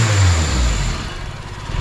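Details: K24-swapped Honda Civic hatch with wastegate, warming up: short deep rev that climbs and settles cleanly, no puffing or ticking; wastegate joint sounds sealed; quiet engine bay, muffler deep but not loud.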